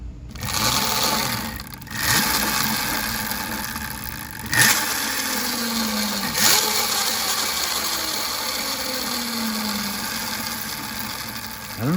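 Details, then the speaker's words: DB17 LR 72V chain-driven electric bike with new Kelly KBX72121X controller: quiet and smooth with chain off, but with chain on a loud whirring growl and coarse rattle rising with motor speed; owner suspects wrong hall combination, cause unclear. "not really sure it sounded so nice and quiet and smooth when the chain was off but then when you put the chain on the thing sounds pretty beastly"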